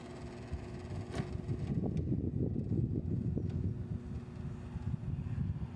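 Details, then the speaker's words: Samsung air conditioner: steady fan hum with an uneven low buzzing rattle from the plastic casing joints, a chronic Samsung problem; all screws are fully tight, so the noise is not from loose screws. "Só que esse ruído não é em decorrência de parafuso frouxo. Não é. Porque todos os parafusos estão apertados."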